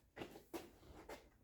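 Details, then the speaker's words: Jaguar XF, clonking over bumps and braking: three faint dull clunks as front wheel is rocked by hand, one at each direction change; play in front wheel bearing, hub to be replaced. "we've got a clonking going over buns and breaking and stuff and it seems that just this front wheel bearing has got some movement in it"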